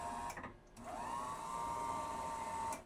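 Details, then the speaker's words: Motorized enlarger on an older unit now fitted with a 4x5 diffusion chamber, raising/lowering the head on first power-up: the motor spins up quickly to a steady mid-pitched whirr, holds evenly about two seconds, then stops cleanly; the drive works normally. "It moves up and down. That's freaking sick on a motor. My old enlargers, I used to have to manually move them."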